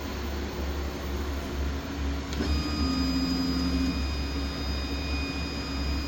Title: Y axis abnormal vibration sound